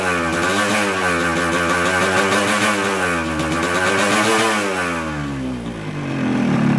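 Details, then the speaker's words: Newly bought Yamaha RX King with a 125Z head, block reportedly rebored recently, before teardown: two-stroke revving with a harsh, rattly roughness over the exhaust note. "kali ini ada R1 RS King lagi ini baru dibeli jadi suara mesin sangat kasar di sini untuk kop sudah 125Z nanti kita kasih hidup mesin kita dengar kira-kira masalahnya di mana"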